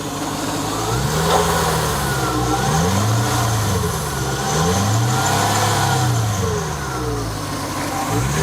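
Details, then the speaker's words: 1998 Lexus SC400 with no check engine lights, revved: smooth, even V8 rising and falling under repeated throttle blips, no knocking or tapping, only a faint belt squeak; normal. "all right so you can hear it sounds smooth feels smooth no funny noises just a little faint little squeaking from the belt no big deal but no knocking"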